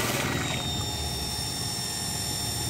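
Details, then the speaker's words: Water pump on an Automatic Pump Control (APC) with a flow sensor, tap opened only slightly: steady electric motor hum with a thin constant whine, no rattling; the pump stays on at full output as flow is detected — normal pump running. "nah meskipun kita Nyalakan sedikit ya pompa ini tetep nyala full seperti ini karena dianggap cetok"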